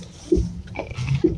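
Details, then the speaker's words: 2006 Kia Sportage turning the steering wheel: two dull clunks about a second apart, loud clicks like blows felt through the body near the left front strut; spring checked and not broken; worn front strut top mount bearing. "страшный звук щелчки он похожий на удары в районе здесь левой стойки где-то то"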